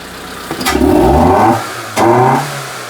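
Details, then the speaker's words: Proton Satria with fuelling issues after injector replacement, injector cleaner added: two quick throttle blips with sharp pops, banging and whirring at the start of each rev and uneven pickup; misfiring, fuelling fault suspected. "Well, there was a problem there. Popping and banging and whizzing and whirring."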